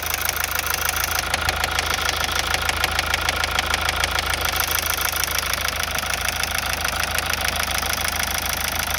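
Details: Mazda 6 2.2D Skyactiv diesel at idle: sharp, regular ticking knock at about three per second over a steady idle; a knock whose source is still unknown.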